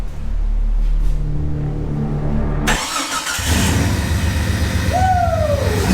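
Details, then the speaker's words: Jeep "Banana" 4.6 stroker engine just started after reseating a loose connector: cranks, catches, revs, then idles unevenly with a steady repeating stumble, a rhythmic miss like a dead hole; suspected bad coil pack or injector, unconfirmed. "It's not sporadic. It's not like a camshaft. It's a rhythmic miss. So it could be a bad coil pack, or it could be that this injector doesn't have."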